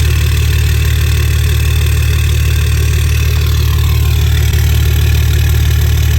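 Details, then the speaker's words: 2006 Dodge Cummins 2500 Megacab after a CTS3 Edge tuner, 100 hp injectors and a fuel injection pressure regulator repair: deep, steady diesel idle at about three beats per second, no hunting, no smoke. It previously dipped and stalled. Normal idle. "no smoke coming out the exhaust idle idle seems good um yeah idle seems good"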